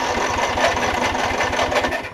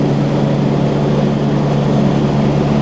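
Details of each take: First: Newer Snapper RER mower with auto choke, P-switch must be pushed to crank: even starter chug around ten beats a second that never catches; cranks but won't start, owner suspects no fuel reaching the engine, old gas. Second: Newer Snapper RER mower, single-cylinder engine, after draining some fuel from the carb bowl and trying another spark plug: steady, even thump at speed with no stumbling or surging; running clean now.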